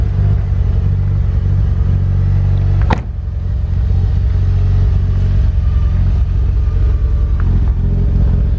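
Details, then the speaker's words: Imported Mitsubishi Evo, barely run, old fuel sitting in tank, no oil change in about 2 years: steady low idle rumble with slightly uneven, lumpy beat; owner thinks it sounds lean or maybe rich, unsure; rough running. "See, it's running a little, I don't know, lean sounding or something. Maybe rich, I'm not really sure."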